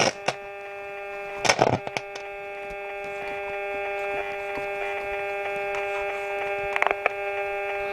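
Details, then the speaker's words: Hacker Mini Herald RP17 transistor radio: a steady buzzy hum with stray ticks and no stations received; there is RF on the transistor base but nothing on the collector or emitter, so the stage is dead, possibly from shorted AF117 transistors. "No stations. That's picking up my phone, unfortunately. So collector is dead."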